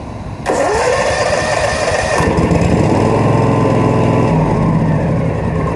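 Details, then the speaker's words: Propane-powered floor buffer, just after the tank is hooked up and its valve opened: the starter catches within a second and the engine fires, settling into a steady small-engine idle with an even beat, starting normally. "Squeeze it, it pushes it up there, and then turn on the tank counterclockwise and start it up."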